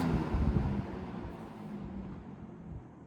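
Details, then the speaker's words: Vintage GE F12 W22 fan (c.1966–67), after service, spin-down from high: hum fades steadily as it coasts, no scratching or grinding, slight blade wobble; bearing noise gone, normal spin-down. "See, there is a slight wobble in the blade on this one. This is definitely not my smoothest runner."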